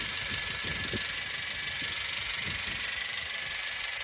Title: my 2017 Honda CRV makes this noise, please is it normal?